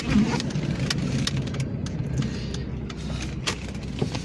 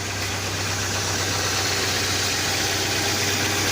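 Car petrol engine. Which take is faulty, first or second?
first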